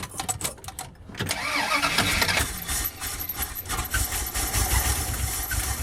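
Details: 1977 Dodge van 318 V8 2bbl after mileage/horsepower rebuild with changed air intake, first cold start: brief crank, quick catch, settles to steady even idle in gear, quiet, no misfires or tapping. Normal start and idle.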